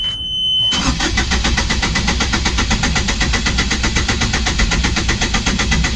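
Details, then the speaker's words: Yanmar diesel on a catamaran: steady, even starter churn at about eighty compressions a minute that never catches, after bleeding air from the fuel filter, lift pump and high-pressure pump; cranking no-start, air in the fuel system suspected. "We've taken air out of the system, out of the uh fuel filter. We've taken air out of the high lift pump."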